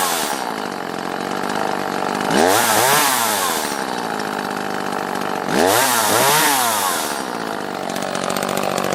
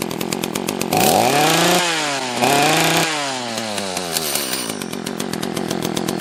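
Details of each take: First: Echo CS-330T top-handle two-stroke chainsaw after removing the gasket that blocked the carb vacuum port: holds a crisp high-revving buzz, dropping to a lower laboring note twice as it cuts wood; runs and cuts cleanly. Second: Echo CS-330T top-handle two-stroke chainsaw, carburetor set a half turn out on both screws: revs surge and sag unevenly, hunting and stumbling; possibly out of gas, running lean.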